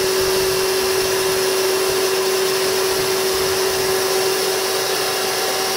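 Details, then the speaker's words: Toyota forklift 12-volt DC series drive motor with internal cooling fan, wedged on the bench: even steady whir with clean tone and fan rush, no rubbing or grinding; quiet, normal running. "Listen to it. Um, definitely quieter. Um, I've got it wedged up so it's not going to not going to jerk around like the other motor. Yeah, it's really quiet."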